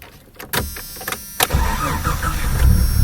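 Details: 1995 Jeep Cherokee XJ 4.0L I6, after cleaning dirty starter brushes: a few quiet clicks, then a quick crank that catches at once and settles into a steady idle; normal crank and start.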